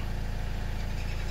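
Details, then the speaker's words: 2015 Chevy Cruze diesel starting after fuel filter change and three priming cycles: steady, even low diesel clatter at idle with no stumbles or dips; engine sounds healthy. "so I wasn't counting but that gets it started"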